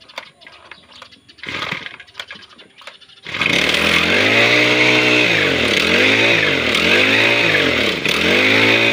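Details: Grass cutter (brush cutter) two-stroke engine that would not start, with air getting into the hose: after some handling it fires up and revs climb and drop cleanly with each throttle blip, running normally.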